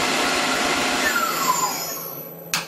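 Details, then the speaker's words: Newly replaced spindle with new bearings on a Tormach PCNC1100 CNC mill, started at low RPM: smooth, even whir with no howl or grinding, easing down in pitch as it slows; the old 3-year spindle howled, new one runs normally. "sounds really fantastic yeah my old one used to howl a little bit wine I guess you call it"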